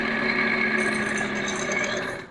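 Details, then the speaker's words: Ceiling fan running after fitting a capacitor, steady whir with a high scratchy rattle on top from worn bearings. "तो मैंने capacitor लगाया और इसकी जो sound है इसकी आवाज है वह आपको सुनता हूं बेयरिंग की आवाज"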